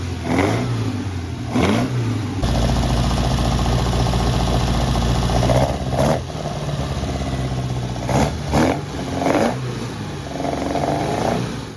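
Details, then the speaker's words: 1964 Ford Cortina GT replica, first run-in of the engine, revs held high to protect the camshaft: uneven, lumpy surges and dips at high revs; rough running from a serious leak at one carburettor intake boot. "well because we had a pretty serious leak from the intake boot on one of the carburetors so ran a little bit rough obviously being the first runin of the engine tried to keep the revs up so to not cause any damage to that cam shaft on the initial runin"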